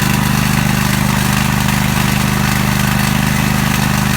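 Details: Small single-cylinder lawn mower engine fired up with choke after replacing a blown head gasket, running steady and even with a firm regular beat and no misses.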